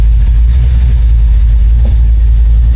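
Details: 1972 Oldsmobile Cutlass idling after an electric fuel pump install, fed through a relay on only three gallons of gas, with the AFR now reading good. Smooth, even low rumble with no knocks, misses or hunting; a steady warm idle that sounds perfectly healthy.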